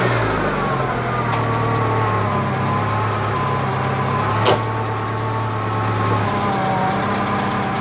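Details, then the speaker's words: Citroen GSA, just started after electrical repair, no battery light, battery 12.4 V instead of expected 14: steady rough idle with a constant thin whine over it; alternator massively noisy, likely bearing; hydraulic cut-off clicks. "alternator is massively noisy The car that just keeps on giving isn't it"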